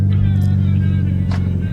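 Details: Mitsubishi Evo X at idle after new coil packs were installed for a misfire; low, even hum with a steady pulse and no stumble, although the check engine light stayed on, and it later drove without hiccups.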